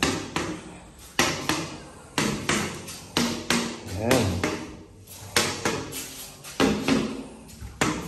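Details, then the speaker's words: Reinstalled tiles tapped with PVC pipe one day after reinstallation to check for voids: sharp solid knocks about once a second, each dying quickly with no hollow ring; tiles well bonded. "Ayan, solid yung tunog. Yan, ayos. Yan, okay na."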